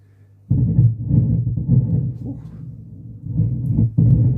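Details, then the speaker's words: 1990s Vox AC30/6TBX tube amp: one channel hums while the other makes a deep, uneven rumbling throb; mica capacitors, one per channel, are suspected as the cause. "So, we've got two two channels and two different noises. We've got one humming and one that's well rumbling. I think we could call that rumbling."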